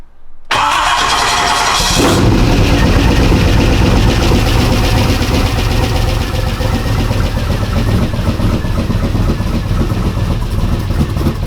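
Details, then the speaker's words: 1992 Ford F150 prerunner after setting up the fuel regulator properly: quick catch after brief crank, then steady, even, deep idle with no misfire; about 55 psi, oil pressure around 29–34, charging 14.6 V. "oh my he's hethy definitely healthy 34 idling now way way better at about 55 right there 55 lb"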